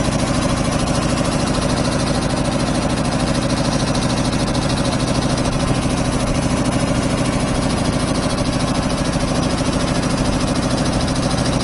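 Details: 25 hp air compressor on single phase through a 25 kVA transformer, just started and building pressure (unloads about 145–150 psi, reloads about 115): steady, even slow pumping thump, no knock or rattle; normal loaded running.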